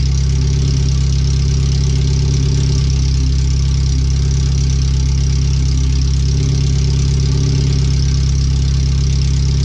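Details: First startup after replacing the header, fuel filter and differential bushings and seals, with O2 sensors moved and no exhaust fitted past the header; the computer read 5-7% rich. A very loud, deep, throbbing idle with a slightly uneven lope; open header, far too loud.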